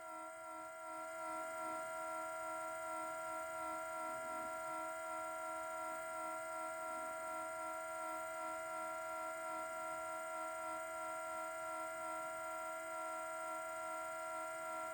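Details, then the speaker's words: Parked car in cold weather, minus three degrees: a steady pure humming tone with stacked overtones that weakens and stops; others suggested an exhaust cause, which is unconfirmed. Tonal hum from a parked car in the cold. "they tell me it has something to do with the exhaust something something something i don't know at some point it's going to peter out though"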